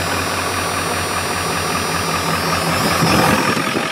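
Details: 1995 Ford F-350 7.3L Powerstroke turbo diesel with new starter, alternator and two batteries, started without touching the throttle: even diesel clatter at a steady idle, no surging or misses; normal idle.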